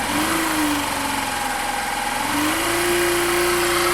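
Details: 2019 Factor 150 motorcycle: a buzzing whine rides over the engine, its pitch rising and falling with revs. Traced to a stator problem, which was resolved.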